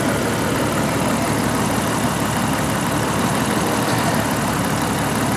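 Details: 1988 Jeep XJ 4.0 inline six, after knock repair with new rod bearings and lifters: warm idle about 750 rpm, coolant 163°F; dense, steady, even pulse with no tapping or knocking, smooth and quiet, knock cured.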